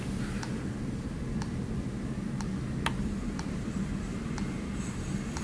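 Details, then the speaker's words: LEGO NXT brick stuck in boot mode after an interrupted boot sequence: faint, sharp clicks about once a second over room hum. "oh yeah I remember this now we have a clicking brick so we have to make it stop clicking I interrupted the boot sequence and so it is not good"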